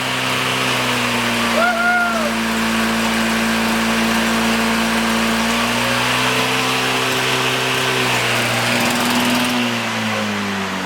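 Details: Abandoned commercial-grade, Canadian-made lawn mower found at the dump, revived: high, buzzy two-stroke note holding even revs for ten seconds with only a slight dip; the engine runs cleanly and steadily.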